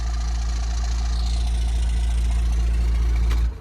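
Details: 1997 Dodge Ram 2500 4x4, 5.9 12-valve Cummins diesel, just restarted after sitting a year: even clatter at steady idle running on its own, then a clean shutdown; normal healthy idle.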